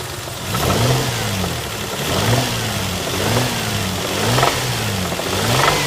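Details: Lexus ES 300 idling with short revs: hard rattly knock that rises with engine speed; cause unknown.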